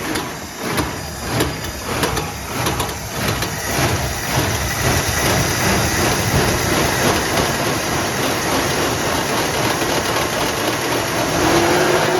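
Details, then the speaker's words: Plymouth Fury III 318 V8 that sat 25 years, just started: the idle lopes and stumbles with uneven beats; dad suspects timing and the cap and rotor. "but we got to figure out this rubber rubber right in the gear huh nice dad thinks it might be something to do with the timing so gonna try and adjust the cap and rotor here"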